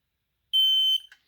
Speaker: And that tells me that the fire alarm is still functioning.